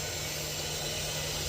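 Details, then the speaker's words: Supermarket AHU on VSD feeding corridor jet grilles: loud steady rushing hiss with no rhythm or mechanical knock; excessive supply airflow because of unfinished tenant installations, so fan speed is being reduced with the VSD. "So now we are having the trouble with the noisy sounds."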